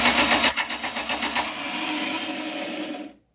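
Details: '89 Dodge Daytona converted from TBI to turbo, 2.2 block, first start attempt: starter cranks with quick uneven chuffs, nearly four a second, then a steady whir dying away; turns over but never fires, timing suspected.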